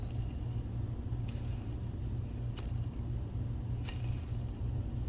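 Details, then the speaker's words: NEC NP-PE401H DLP projector cooling fan (BFB0612H, 12 V) old bearings: low rough grumbling rumble with light clicks; worn fan bearings, cause of intermittent fan lock warning, replaced and much quieter. "But these are the old bearings right here. Maybe you can hear it."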